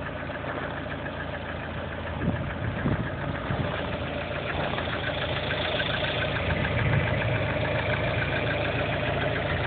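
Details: Lada Kalina 1.4 16-valve engine at idle: steady running with a dull, fairly regular knock around three per second underneath; internal engine knock, source undetermined.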